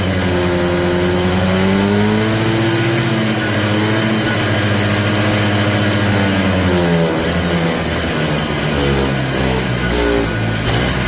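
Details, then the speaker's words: Polaris Trail Boss 250, just revived: speed wanders, climbing then dropping off over several seconds, with no steady low idle. The owner suspects the carburetor idle circuit is still plugged. "just as I thought that idle circuit's not working probably because it's still plugged up"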